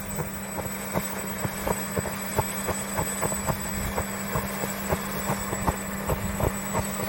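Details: New Bell LongRanger helicopter with Wren turbine conversion, restrictor already replaced: steady turbine roar with hum near 200 Hz and irregular sharp pops about twice a second at low throttle, fine once throttle is added; turbine has to go off to Turbine Solutions.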